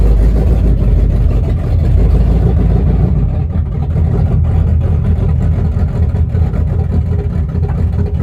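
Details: 1974 Chrysler Newport with a slightly tuned 440 V8, first start after a rebuild with new bearings, open headers, phone-recorded: a loud low even rumble rising and falling smoothly with throttle, no knocks or misses; healthy.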